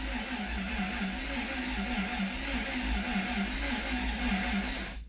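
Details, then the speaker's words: 1991 Dodge Caravan, 3.0 engine with 3-speed automatic, abandoned about 20 years: even, rhythmic cranking with steady compression pulses, no grinding or clicking, after a faulty relay was fixed; normal cranking. "That thing cranked over on its own for the first time in 20 years and it sounded okay."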